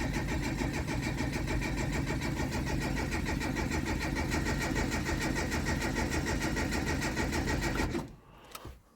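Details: JDM Datsun that has been cutting out and won't start: steady, even cranking at about three and a half turns a second for eight seconds never catches. Fuel can be smelled and the pump primes only while cranking.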